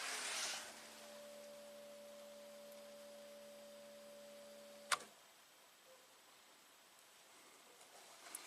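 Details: Fuel pump of a 2003 Toyota Camry V6, energized to pressurize a test injector through a test bulb. A steady hum for about five seconds, then a click as it cuts off, building about 40–42 PSI; the pump runs normally.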